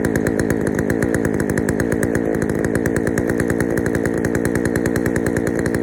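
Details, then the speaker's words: Poulan 3000 chainsaw, previously wouldn't start, after draining dirty old fuel and adding fresh: runs steadily at fast even buzz without stalling, slightly rich and burbly; low-speed mixture to be adjusted. "All right, so she runs. She runs pretty good too. She runs a little rich, but I'll adjust the low speed on it and we'll get it running better."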